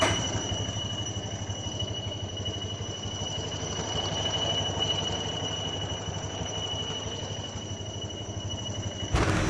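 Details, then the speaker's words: New Honda Vario 125 scooter, engine running and disassembled: steady high whistle near the radiator and ACG starter at the front, from the water pump impeller rubbing its housing; the water pump seal was found hardened and sometimes leaks. "Vario 125 yang baru ini mengeluarkan suara aneh, seperti siulan. Kami telah membongkarnya dan beginilah bunyinya."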